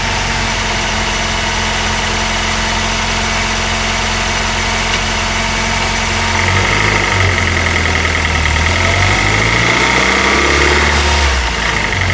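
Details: Honda R20A3 engine, cold idle, mic in engine bay: light rapid tapping about three or four knocks a second over engine note; suspected piston slap, louder when colder, disappears after a few minutes.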